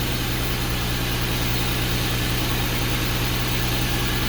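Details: 2012 Porsche Cayenne after a jump start with a jump pack on a low battery: steady, even low hum with no knocks, misses or hunting; smooth, healthy idle, and the battery still needs replacing.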